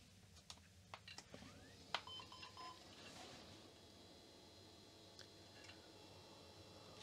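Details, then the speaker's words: Old Sun UltraSPARC laptop powering on: handling clicks then a short electronic beep, no fan or drive spin-up; it posted with beeps but would not boot, even with external monitor; owner suspects battery charge or a leaked internal battery. POST beep with failure to boot. "it powers on well it didn't come much further than this it did post with three beeps but let me try again maybe it actually needs a bit of charge on the battery to power up"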